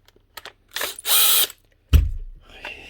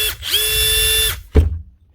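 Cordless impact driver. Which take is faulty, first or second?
first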